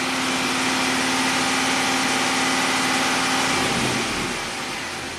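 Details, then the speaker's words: 2006 Pontiac GTO V8, 36,000 miles, after BCM replacement: idle with slightly uneven beat and occasional hiccup from an intermittent cylinder three misfire; fuel trims single digits, MAF 8 g/s. "You can still you can hear it hiccuping. So, fuel trims are okay. Let's go back to misfire data and focus on this uh cylinder three."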